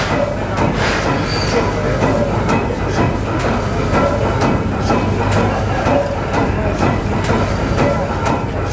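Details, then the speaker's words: 1914 Snow natural-gas compressor engine (4 combustion chambers, two double-acting pistons) running with the compressor poppet valves opened so it pumps no pressure; slow steady thump with a rhythmic chuff each stroke: normal running, compressor unloaded. "They've opened the valve down there so you can hear it pumping, but it's not really pumping any pressure. That is a double acting pump. The piston pumps both directions."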